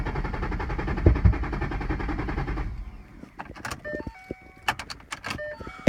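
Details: 2011 Ford Mustang GT: steady rhythmic cranking churn nearly three seconds, never fires, then only clicks and door clunks; cranks but won't start.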